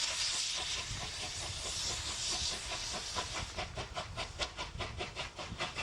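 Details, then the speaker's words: Steam locomotive Taw Valley standing at a signal failure, fire built up for maximum steam: loud steady high-pitched roar as the safety valves blow off surplus steam, soft chuffs beneath. "The crew have built up the fire for maximum steam raising, but are reduced to watching all that energy disappear through the safety valves until signal failure is diagnosed and the traction inspector is authorised to proceed."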